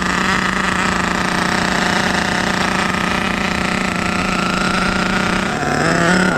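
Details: HPI Savage 21 nitro truck with a fully rebuilt Dynamite 28 engine, primed and fueled after repairs: small nitro engine screams at a steady high pitch with an even crackle, pitch shifting slightly. Running normally.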